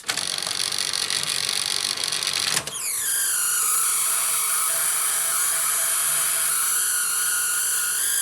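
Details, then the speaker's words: Sanyo Betacord VTC-M20 Betamax VCR in play near the end of the tape, after a loading ring belt slip was heard: a high, steady screech with shifting squealing tones over the transport, normally just a dirty tape path needing a clean. "from the Screech which is normally just the tape path needing a good old clean"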